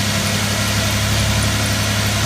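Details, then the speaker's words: 2000 Lincoln LS just started after fuel filter change, fuel pressure about 31 psi: smooth, even hum at a raised fast idle before idling down, no knocks or misses. "but it's still revved up. We'll wait till it gets to idle down because it looks like it's climbing."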